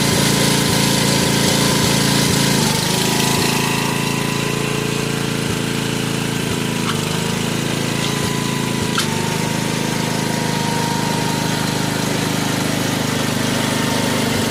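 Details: 1986 Troy Bilt Horse rear tine tiller after PTO/tine service and transmission fill, started outside: small single-cylinder engine holds a steady, even beat at constant speed with no knocks or misfires; normal running.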